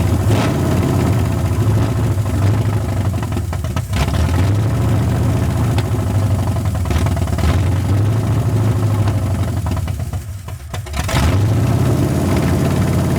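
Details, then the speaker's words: 1981 Ford Mustang 5.0 V8 with carburetor, after resetting the mixture screws from about 14 turns out: low, lumpy idle that sags and nearly stalls before catching again. Owner suspects a vacuum leak, a bad carb, or settings still off. "still fighting me acting like it's got a vacuum leak still"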